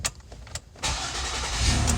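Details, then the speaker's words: 2009 Ford Escape 3.0 V6: near silence with a couple of light clicks, no start until pressure is applied to the key, then the engine catches and idles steadily; worn ignition switch causes intermittent no-start, replacement planned. "okay won't start so i'm just going to apply like pressure to it and there because it starts up okay so those are the symptoms of this piece going bad right here"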